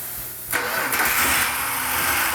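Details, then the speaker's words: 1971 Dodge Demon (Mr. Norm's car) V8 first start after rebuild, freshly installed distributor: brief crank, then catches into a fast, uneven idle with crisp exhaust bark; timing found a little too advanced. "Oh, that actually started. Unbelievable."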